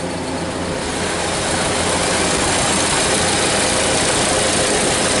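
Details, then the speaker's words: 1930 Ford Model A on an 8-volt farm battery with heavy-duty wires: turns over fast, starts quickly, and settles into an even, steady idle with no misses or knocks. Normal idle. "and it's going to turn over fast starts like a brand new car now and an 8 volt system"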